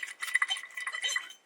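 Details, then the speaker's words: 2017 Dodge Challenger worn wheel bearing turned by hand off the car gives bright, uneven metallic clicking and rattling; the new replacement bearing is silent with some resistance. Replaced along with rotors and brake pads. "This bearing is shock. So we're replacing it with this bearing."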